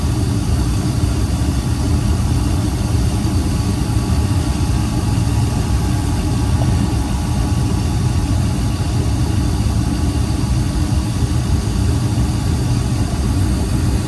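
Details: Rusted gas pack unit, burner firing, checked for a cracked heat exchanger: steady, deep, even roar with no surging or fluttering; no clear sign of a leaking heat exchanger stands out, condition not confirmed.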